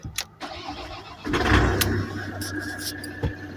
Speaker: there she is, running. Very proud of her.